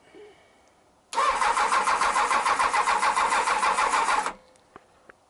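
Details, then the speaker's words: Honda CBR1000F with a fuel pump beyond repair, after earlier running on three cylinders: an even starter cranking at about 3.5 turns per second for three seconds never catches because there is no petrol in it. "switches on [Laughter] no petrol in it"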